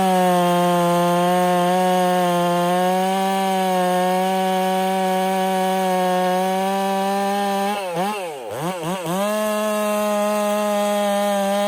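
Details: Ported Husqvarna 385 chainsaw during break-in, tune left slightly rich with a little top-end burble, cutting very hard oak: high steady two-stroke scream holding revs, brief dip with quick recovery; smooth, normal cutting.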